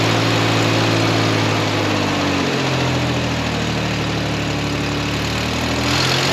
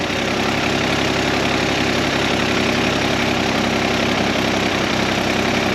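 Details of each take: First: Vehicle being prepped for auction, idling: a steady, even low rumble with no knocks or stumbles. The carburetor is still not right, a vacuum leak is suspected, there's an exhaust leak on one side, and oil or brake fluid residue is burning off the manifolds. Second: Busy, uneven idle with a loose clatter; spraying near the carburetor base changes it, vacuum leak suspected from a loose or worn carburetor base plate, mounting bolts to be tightened.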